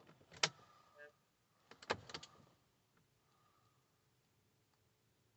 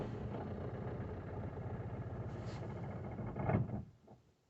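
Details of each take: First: 2018 Citroen Berlingo 1.6 BlueHDi diesel van, 35,000 miles, sat six months after a DPF-fault power loss: clicks, short crank, then starts and settles to a steady, slightly rough idle after a missing fuel pump fuse was replaced and codes cleared. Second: 2018 Citroen Berlingo 1.6 BlueHDi diesel van, 35,000 miles, sat six months as a non-starter after a DPF fault, fuel pump code cleared: catches, runs unevenly a few seconds, then stalls; air still in the fuel system.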